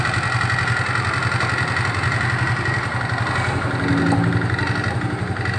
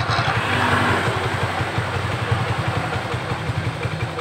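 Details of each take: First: Suzuki Nex scooter CVT running with cover open and closed: even low engine drone with light steady chatter, same sound either way, no grinding or rough whirr; normal CVT sound. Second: Suzuki Nex automatic scooter, CVT: irregular rattly chatter over low drone, about three beats a second, changing when rear wheel spins versus held, noise damped counter-rotating; problem located in worn CVT bearing, to be replaced.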